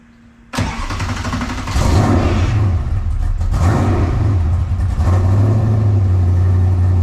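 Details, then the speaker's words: Car reassembled after a loose fuel fitting was fixed, started warm: catches cleanly after a brief crank, revs up, then settles into steady, even idle with no misses or knocks; normal start. "so yeah there you go good way to finish the video got the card back together got it warmed up started right"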